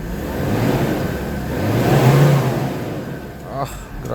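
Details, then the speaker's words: Mazda BT-50 after fixing no-crank no-start, charging 14 V; quick clean rev falling back smoothly, no knocks or hesitation, no delayed reaction; strong and healthy. "So ayun lakas talaga. Okay. Hindi siya delay reaction. So goods na good. Goods na goods itong engine na to ah."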